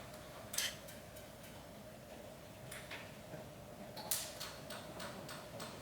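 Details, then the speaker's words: NSG 438 ESD test gun doing ISO 10605 contact discharge at 8 kV: faint sharp snapping clicks a few seconds apart over room hum; discharge firing normally, device unaffected. "this is still contact discharge. You can hear it clicking, right? There's nothing happening."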